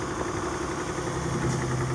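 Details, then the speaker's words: Chrysler 300 engine at idle after rattling noise repair: smooth, even idle with a steady low hum, no rattle or knock; healthy. "Y'all back with the fix. No more rattling."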